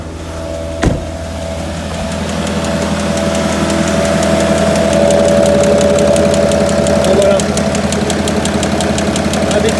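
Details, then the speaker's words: Citroën C5 3.0 V6 HDI 240 started after a year standing, many parts disconnected: rough idle with heavy regular clack about three a second from a spun connecting-rod bearing (crankshaft problem). "Non, il tourne mal, mais il tourne. Avec un gros clac, clac, clac, clac, clac. On l'entend bien."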